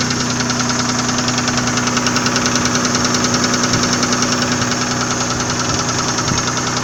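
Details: Nissan VG30E engine at idle: steady sharp regular knock about two and a half times per second; owner asks what is knocking, cause unknown.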